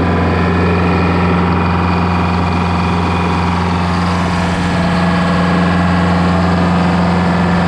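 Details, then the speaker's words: GM 4-71 two-stroke supercharged diesel, about 160 HP, probably 50–60 years old, Frick sawmill engine, warming up before a secondary fuel filter change: steady throbbing beat under a sharp supercharger whine, even and unbroken; normal running. "so I'm going to let it run for a second while I do this but just to hear what this thing sounds like this thing is is awesome"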